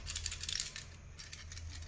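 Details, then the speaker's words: Samsung refrigerator with a cooling problem, start relay removed and shaken by hand: a loose, tinny coin-like rattle inside means the PTC disc has broken, so the relay needs replacing. "देखो इसको जब मैं ऐसे हिला रहा हूं ना तो ये आवाज आ रहा है, मतलब ये आवाज किसका आ रहा है, तो इसमें ना एक पीटीसी कॉइन होता है।"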